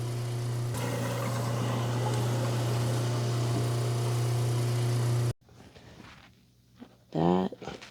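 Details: Hardwired garbage disposal, newly installed and plugged in, tested with water running down the drain after a leak check: steady low even hum for about five seconds, no grinding or rattle, then switches off cleanly; runs normally.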